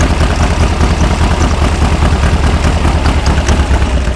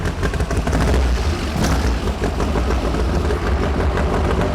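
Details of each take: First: 1973 VW Beetle Super Beetle with 40 IDF carbs, restarted while troubleshooting drivability problems: even, busy flat-four idle with steady low chuff and light valve clatter, running much happier; normal idle. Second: 1973 VW Super Beetle with an air-cooled engine of about 1900 cc, 40 IDF carbs, run and drivability complaint, distributor not cooperating: lumpy, uneven running with pops and stumbles; one side has a dead cylinder, and valves or carb are suspected.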